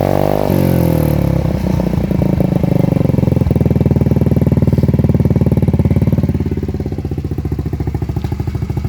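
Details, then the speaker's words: Lexmoto 125 four-stroke motorcycle, cold, exhaust baffle removed: loud raw popping exhaust note with cold idle revs hunting up and down, unmuffled; open exhaust without baffle, loose baffle adjuster possibly adding ticking. "let's give this a sound test shall we with no baffle and there we have it no baffle revs are a bit up and down because it's obviously cold"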